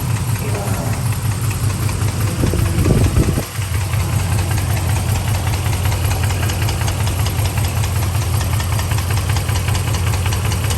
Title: Dodge Ram engine knock VIN 520844